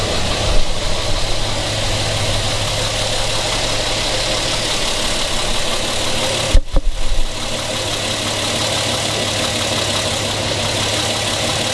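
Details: 1975 Plymouth Duster, warmed up, throttle often sticking; it earlier had a loose valve adjustment screw: steady low idle rumble with a faint dull knock under it. Engine knock; cause suspected, not confirmed.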